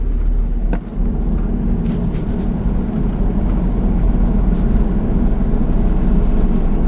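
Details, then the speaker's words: Gen 1 Ford Ranger on a test drive after center bearing replacement, mic held near the center bearing: steady low road drone with no whine, growl or clunk; driveline now quiet, normal running. "Salukuyan tayo nagto-test drive na ngayon. And tahimik na ang ating Ranger."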